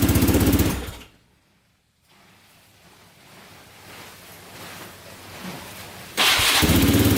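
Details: 2002 Yamaha Raptor 660 quad, after oil line fix and oil change: single-cylinder engine thumps evenly and steadily, stops briefly, then fires back up just as smoothly; sounds healthy, normal running.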